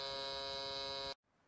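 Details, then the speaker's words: Isuzu Trooper/Jackaroo with a 4JX1 engine and a new aftermarket alternator: the blue relay buzzes harshly because the alternator's L pin gives a pulsed ground at about 135 Hz. An electrolytic capacitor fixes it. "it runs at about 135 hertz and it creates noise because it's turning off and on very fast and it makes this relay chatter or turns the relay into a speaker and that's the noise you can hear"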